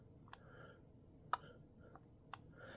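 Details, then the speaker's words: Arduino-built wind regulation controller for a pendulum master clock, toggling from day mode back into night mode: three sharp single relay clicks about one second apart, no voltmeter beep, quiet room; relay switching normally. "so you can hear those are four clicks without the beep from the voltmeter but now it'll go back into day mode now back into night mode"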